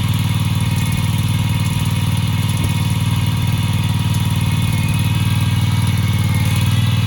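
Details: Husqvarna commercial zero-turn mower that sat four years in storage, now idling: steady, even low putter at about four beats a second with no misses or knocks; engine idling smoothly.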